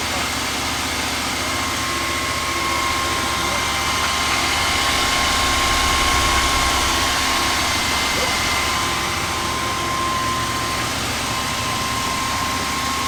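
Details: 1978/79 Ford F150 V8 that sat for years, first start-up with some oil pressure, fuel from the rear tank and no coolant yet: steady even idle with a regular beat and no knocks or misses; normal idle before a bent pushrod occurred.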